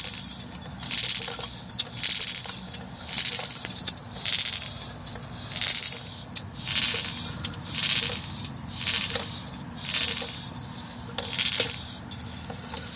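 A gritty, marble-like scrape swells and fades about once a second as the wheel turns, likely pads dragging or a bearing, unconfirmed.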